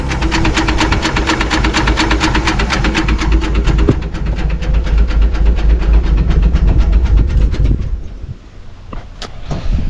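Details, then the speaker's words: 1966 Ford army truck after carb change, battery charged overnight: steady rhythmic knock about twice a second over idle; owner suspects damage from carb revving with diaphragm not closing, hopes it's a pushrod under the intake manifold. "I hope I hope that it just been a push rod which are under the intake manifold that happens commonly on these"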